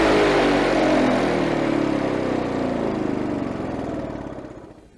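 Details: Victa Power Torque VE40 two-stroke mower after replacing carburettor main jet (engine was flooded at first): steady fast even buzz, then winds down and stops near the end; runs clean with no stumbling.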